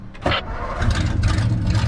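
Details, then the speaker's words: 1955 Ford with straight pipes, started after sitting all night without choke. A short crank, then it catches almost at once into a loud, deep, steady rumble: a healthy quick start. "Yeah, not bad. No choke or anything, so pretty good."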